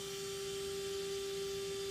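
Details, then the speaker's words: Mikron TH-5104 thermal imaging camera (about 1996), startup stage two while detector cools: shutter begins rotating; faint steady clean hum at one pitch, no wobble or scraping; normal. "all right it has now started rotating the shutter"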